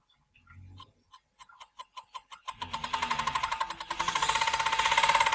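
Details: Tacx Booster trainer brake makes a weird ringing, steely noise pulsing about four times a second as the roller spins up; the brake disc inside seems wobbly; brake ringing noise.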